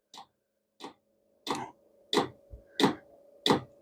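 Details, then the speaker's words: Vevor diesel heater after a year of use, run off Milwaukee M18 battery, startup: soft even fuel pump ticks about ninety a minute, priming before burner ignition; normal. "Now you can hear the pump kicking in. As it gets running quicker, the pump will move quicker or it'll pump quicker."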